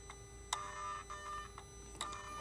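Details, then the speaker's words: 2008 Mercedes R320 3.0L diesel, intermittent power loss, check engine light, boost pressure regulator/charge pressure too high codes: actuator commanded via scan tool gives quiet irregular clicks over faint hum; turbo actuator sticking, bad. "yeah this is the problem the fact that it's making that you see now it just went back so the fact that it's making that clicking sound that tells me that this actuator is bad"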